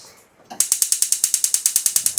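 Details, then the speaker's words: Gas stove auto-ignition fault traced to the ignition box. After replacing it, switched on with gas on: crisp, even, strong clicks about eight per second, all burners sparking OK. "Yes, കറക്റ്റായി. അപ്പോൾ ആ auto ഇഗ്നീഷൻ്റെ problem വന്നത് അതിൻ്റെ ആ ignition ബോക്സിൻ്റെ complaint ആണ്. മാറി കഴിഞ്ഞപ്പോഴത്തേക്കും എല്ലാത്തിലും ഓക്കെ."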